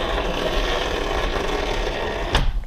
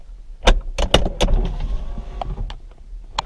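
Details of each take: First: Driver or passenger window on a 2004 Porsche Boxster 986 base with 2.7 L: steady scratchy grinding while the motor drives, then a dead stop; the regulator cables have come off track and rub each other, not a failed regulator. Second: 2004 Porsche Boxster 986 2.7 window after fixing the regulator's scratching noise without removing the glass, tested by popping the soft top: a few latch clunks, then a brief smooth motor hum as the glass drops; normal operation.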